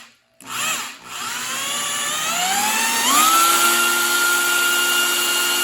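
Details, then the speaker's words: Ford 302 tunnel-port engine, oil pan and rockers on, oil pump primed with a drill run counterclockwise. Drill whine rises then settles as pressure climbs to 60, air purges, then 80. A little oil spits out and it burbles and gurgles, which is normal priming. "it pushed the air out and then it went to 80 and then when the air got up to here you saw it spit a little bit out that's that's normal uh sometimes you can hear it burgling and burbling and gurgling"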